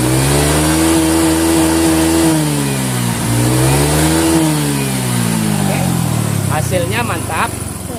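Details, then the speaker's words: Honda Vario 125 FI scooter, after fixing cold-engine stumbling/hesitation on throttle traced to the TPS sensor (shimmed); smooth, clean rise and fall of revs, crisp pickup, no stumble; result good, normal revving. "oke jadi hasilnya sudah mantap"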